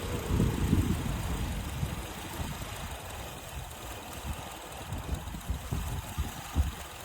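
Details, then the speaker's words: 2009 Honda Accord, about 350,000 miles, stalling in reverse and drive: uneven idle with irregular low thumps and a loose, unsteady beat; vacuum leak from a big hole in the cracked air intake hose. "And when I looked inside my engine bay, I did notice that my air intake hose had a big hole in it."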